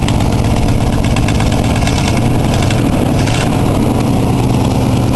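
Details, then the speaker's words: Oldsmobile V8 at idle, cold-start light on: deep uneven idle with popping, puffing beat; exhaust leak from a warped manifold at a broken rear stud, plus a rough-running valve, believed cylinder 7; exhaust leak and rough-running valve. "you can hear that kind of that um popping noise that's a combination of an exhaust leak and that that valve is running a bit rough on I believe cylinder number 7even"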